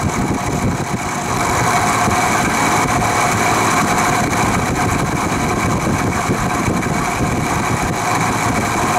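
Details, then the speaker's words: Vintage Penncrest (rebranded Lakewood) 20-inch 3-speed box fan on low/medium after motor drowned in WD-40: slightly quieter but loose uneven diesel-like motor rattle persists over steady hum; cause unknown, owner suspects worn bearings. "you can see it's a bit quieter but it still sounds like a diesel engine and it's been doing that since the day i found it in the trash"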